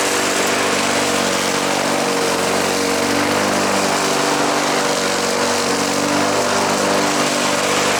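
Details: Craftsman push mower, small single-cylinder engine, restarted after its auto choke was inspected and repaired, covers back on, choke tab left unadjusted: steady, even buzz at constant speed with no misses or surging.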